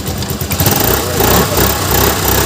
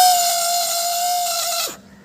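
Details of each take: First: Suzuki Access 125 self-start after the starter motor was replaced, battery weak or down: quick, smooth electric start with no grinding or whirring, settling into an even idle. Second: Suzuki Access 125 scooter self-start: a loud, steady high-pitched whine while the starter spins, dying away on release. The starter motor is worn, with its inner bush worn and causing play, and the motor was replaced.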